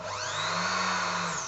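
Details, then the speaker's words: Janome sewing overlocker with slipping drive belt: motor whirs freely, pitch rising then falling over two seconds, no stitching sound as the machine isn't driven; slipping belt. "so the machine is not doing any overlocking and it just hear the motor whizzing so the belt is not taking"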